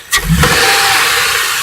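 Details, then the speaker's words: Chrysler Concorde 2.7L V6 after new timing chains, guides, tensioner, gears and water pump, fully warmed, oil pressure good: quick wide-open-throttle snap, engine sweeps up cleanly with strong intake whoosh and settles smoothly; healthy, responsive. "I know that my oil pressure is good I'm gonna go ahead and do the first woop test which is wide open throttle this beautiful I'm gonna do it again"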